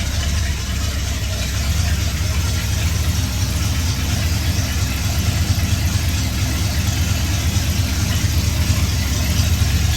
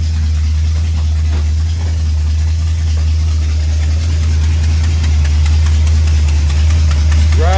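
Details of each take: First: 1966 Ford F100 V8, warm, after replacing the exhaust gasket and retightening to fix an exhaust leak: deep, steady burble with an even low rumble and no ticking or puffing; running a little rich, healthy settled idle. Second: 1966 Ford F100 starting quickly with new starter, then idling: steady low idle with faint tick about four per second; exhaust leak ticking.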